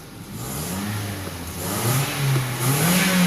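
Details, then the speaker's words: Car after its misfire repair, given light revs while listening at the tailpipe. It revs smoothly and steadily with no missed beats and is back to normal. "الحمدللہ گاڑی تو ہاں مجاہد بھائی ابھی ماشاءاللہ گاڑی اوکے ہو گئی ہے پہلے جیسی ہو گئی ہے جیسے پہلے ٹھیک تھی ویسے ہی ہے نا صحیح ہو گئی ہے"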